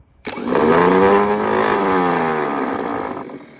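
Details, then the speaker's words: Delco starter for a Lycoming aircraft engine, bench-tested on a truck battery after a refresh without new brushes. Sharp whine climbs, holds and winds down smoothly as the gear engages, with no grinding; normal starter operation. "I watch the gear come out and engage. And you can hear it. It spins up really nice."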